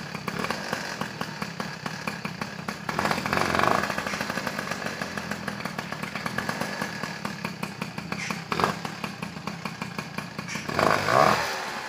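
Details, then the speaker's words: Peugeot 103 SP moped, first start after wiring a DD engine: sharp, rapid two-stroke popping with a fast buzzy beat that settles after a couple of blips, left to warm up. It starts readily and runs normally. "ça démarre bien moins cher c'est plutôt pas mal tout ça à laisser chauffer"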